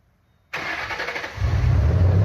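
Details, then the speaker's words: 2007 Ford Mustang GT V8 started right after replacing all eight spark plugs: brief crank, fires and settles into a deep steady rumble with no stumble or miss; healthy start. "Alright, she sounds good. She's running."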